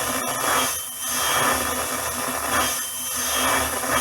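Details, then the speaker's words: Prototype-PCB ETI vocoder microphone preamp, with the microphone disconnected and the volume turned up, breaks into a harsh, fizzy, warbling high-frequency oscillation with a thin whistle plus 50 Hz mains hum; the cause is a PCB layout error. "getting this really squirly sound which sounds like there are a lot of nasty high frequencies in there"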